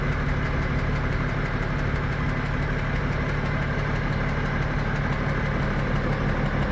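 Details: BMW M57N2 diesel, 400+ hp, driven 30,000 km this way: dull knock about twice a second only when hot, louder hotter; vacuum pump, timing chains, balancer, pulley ruled out; owner suspects injector or high-pressure pump.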